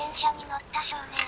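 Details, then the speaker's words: Bicycle rolling on tour: short squeaky creaking in uneven bursts every quarter to half second; rider suspected crank but thinks not, creak seems to come from the front (frame or handlebar area), source unclear. "クランクの音ということはこのまま海に込クランクじゃなさそうではあるんですけどねなってる場所は前っぽいですハプニング間違えたけどこれはなかなかいいネタ広いになりました"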